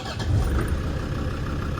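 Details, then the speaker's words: 2000 Land Rover Defender 90 Td5 turbo diesel, freshly serviced, after glow plug warm-up: short crank, fires right off and settles into an even, steady diesel idle with no misses or knocks, burning clean. "Fires right off. We're going to close the building. Smoke running the service here. She burns really clean. Sounds good."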